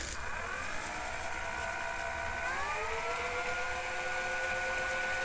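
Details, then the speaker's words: 1984 JVC HR-D725EK VHS Hi-Fi VCR after fitting a new belt, mechanism not yet cleaned or greased: whirring motor winds up then settles into a steady hum with slight labouring; running much better, turning freely. "Well, that's certainly running a lot better. Seems to like that belt. Bit of labouring there, but I expect that."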